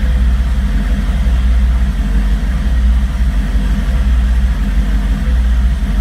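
Deep idle that stumbles and wavers instead of holding a steady beat, with a brief rev; misfire-like roughness, cause unclear.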